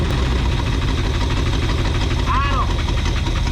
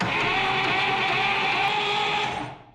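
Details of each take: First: 1962 Buick Invicta wagon after 53 years in a salvage yard, running on temporary fuel supply and battery wiring: engine holds a fast steady speed and won't drop to idle; carburettor suspected. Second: 1962 Buick Invicta wagon, 53 years in a salvage yard, previously seized by hand: even, steady cranking, engine spinning freely, tight but no knock or clunk; ignition cap missing, so no start yet.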